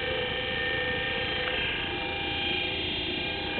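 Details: 24-volt forklift DC motor with no permanent magnets, field coils energised, hooked up the proper way, armature probably getting hot, battery somewhat drained, planned as wind generator: steady, even high-pitched whine at constant speed, no roughness or scraping; normal motor run.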